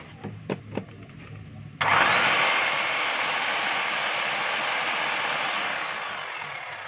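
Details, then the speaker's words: DeWalt D25899 10 kg jackhammer after replacing armature, O-ring, gear case, motor cover and handle: sharp start then steady, even roar of fast hammering about four blows a second, quiet with no crackle; normal running. "Tahimik na tahimik yung andar mga kabay. Wala na yung iklab."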